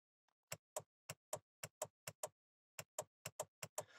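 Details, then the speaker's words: Horn diagnosis with the 15 A horn fuse known good: about a dozen sharp, dry clicks, a few per second, as the horn button is pressed in a quiet room. The horn relay is switching properly. "On entend bien le relais qui s'active ou qui se met en fonction. Donc pour moi, jusqu'à ce point-là, celui-là fonctionne."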